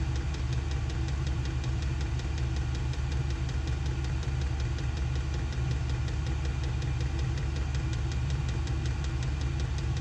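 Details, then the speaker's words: SILVEL diesel heater on full heat in an insulated two-car garage, exhaust ported through a wall: steady low combustion rumble with an even, quick fuel-pump tick several times a second; running normally. "it blows out a pretty significant amount of heat not only is the air hot but it moves quite a bit of air too"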